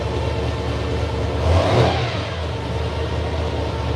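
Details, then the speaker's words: Big V8 with air grabber ram-air package on the dyno, revving and settling, with a loud steady mechanical whine over the exhaust from its gear-drive timing set, likened to a vehicle in reverse. "This is a gear drive. You look how loud it is. I love the concept of gear drive. Right. It's the sound that bugs me."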